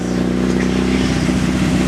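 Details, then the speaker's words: 2nd-gen Mitsubishi Eclipse, crashed around Christmas, just restarted after repairs with an exhaust leak present: a short strong rev with a smooth even exhaust note and no knocks or misses. The engine sounds good. "yeah we're pushing about 600 horsepower just cool it sounds good yes"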